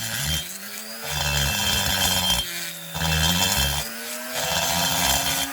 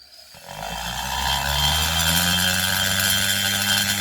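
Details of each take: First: Rotary grinder porting a McCulloch Pro Mac 850 chainsaw cylinder; at higher speed a high, steady whine with no chatter or skipping, whereas lower speed chatters: smooth cutting at correct speed. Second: Porting a McCulloch Pro Mac 850 cylinder with a high-speed rotary tool: at lower speed the cut turns rough, buzzy and chattery, smoothing out when faster; rotary burr chatter at low speed.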